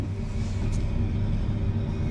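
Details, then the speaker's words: 2025 Stabicraft 2350 with F300 outboard, now idling, running on the starting battery. Steady, even low rumble with no knocks or misses; the outboard settles into a smooth, healthy idle. "So, I think I'm going to since it's idling, that was my starting battery. They'll both work."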